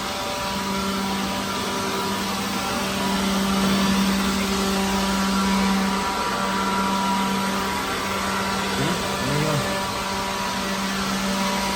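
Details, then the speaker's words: Pawn-shop leaf blower blowing debris out of a truck trailer gives a steady, even fan whoosh over a constant motor hum, with no surging or rattle, and does the job: normal running. "Yeah, here we go. Just blow up our this. Man, that's pretty good. Not bad for $20, I'll tell you that. It does the job."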